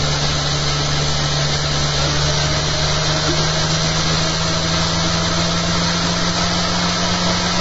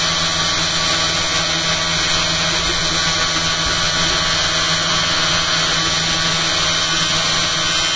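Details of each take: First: Much quieter after fitting new eccentric bobbin and magnet holder and fixing rattles: steady, even motor hum with constant low drone, commutator audible as motor drives the rig, no rattles or knocks; normal quiet running. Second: Live-stream test of a newly fitted eccentric bobbin holder and magnet holder, spinning at high speed with output at 280 mA into a 6-volt load. A steady buzzing rattle; owner suspects the magnets in the bobbin holder aren't set properly, and current draw is higher than before.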